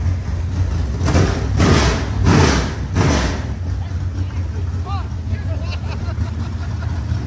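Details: Rebuilt 25-year-old SBC 400 small-block V8 race engine in a Chevelle, after fixing the timing: loud, lumpy, slightly high idle; throttle blips rise and fall cleanly with even firing; healthy.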